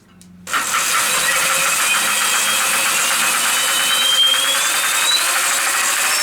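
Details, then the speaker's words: Home-made electric mountain bike, 8000W hub motor mid-drive through bicycle gears, more RPM, rear wheel spinning: motor whir with fast light ticking as a bent spoke hits; fixed by bending it back. Spoke strike. "What is that noise? Yeah, some of the spokes are bent on here. Just bend that back."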